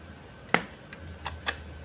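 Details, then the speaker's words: Jinbei Delicacy II Gen 1 studio flash after repair of a no-fire fault, full power test: one sharp, crisp pop followed by lighter ticks, a different "plok" firing sound than before; discharges cleanly. "Iya bisa didengarkan teman-teman setelah diservis suaranya beda ya tendangannya tembakannya beda plok begitu ya"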